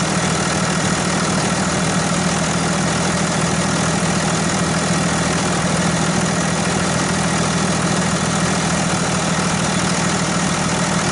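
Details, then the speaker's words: Dodge Ram 2500 diesel idling after replacing a cold-damaged weak battery in bitter January cold; even, steady diesel clatter about two beats a second with no misses or knocks, healthy. "So, but anyway, I'm going to go ahead and start it up and show you what it's supposed to sound like."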